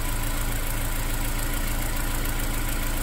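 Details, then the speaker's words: Honda S2000 F20C/F22C DOHC VTEC, warmed up, after valve adjustment of tight valves: smooth even deep idle with no RPM hunting, misses or exhaust sputtering; earlier random misfire and rough idle are fixed. "it's idling perfectly the before the RPM was going up and down a little bit and even though the exhaust even though it's thought you could hear it sputtering which you don't hear whatsoever anymore"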